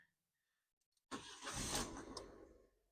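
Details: 2013 Ford Ka that broke down on the motorway and misfired only when warm, started after repair: a quick crank, then the engine catches cleanly and settles with no stumble; the engine light flashes pending a phonic wheel learn.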